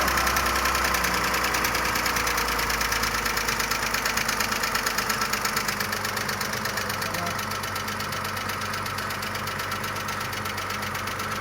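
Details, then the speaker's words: Audi A6 previously repaired for lifter knock, now knocking again with condensate under the valve cover and sludgy oil. Right after restart a sharp, even lifter ticking over idle eases slightly as oil pressure builds, and a whistle appears. Lifters may be damaged from oil starvation and slow to pump up. "Пока стук есть, какой-то свист появился. Сейчас должны компенсаторы очень долго могут прокачиваться, блядь."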